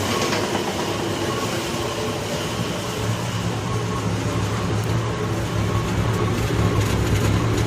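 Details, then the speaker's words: Boyertown step van after exhaust leak repair at header pipe, warmed up: steady even low rumble with no ticking, puffing or hiss; smooth healthy idle. "Just as smooth as she can be, brothers."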